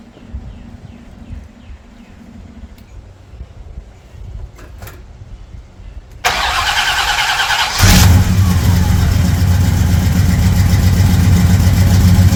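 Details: Pontiac Trans Am V8 out of winter storage after a new mechanical fuel pump, fitted to cure vapor lock, pushing fuel through the electric pump: cranks, catches and settles into a steady, even idle with no leaks; normal idle.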